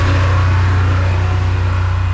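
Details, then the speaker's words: Abandoned diesel generator just restarted after engine repair, running at no load at about 60 Hz; owner says it sounds like screaming but should be set higher, about 1900 rpm. Loud, steady low drone holding an even speed with no hunting or knocks. "I know it sounds like it's really screaming. Anyway, like I was saying, I know it sounds like it's really screaming, but trust me, okay?"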